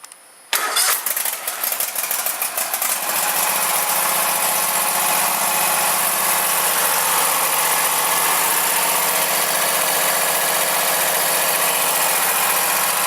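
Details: Craftsman GTS5000 after a tune-up with a new spark plug, new filter and fresh oil, cold start on choke: it catches within half a second of cranking, rises briefly, then settles to a steady idle with no misses. Normal start.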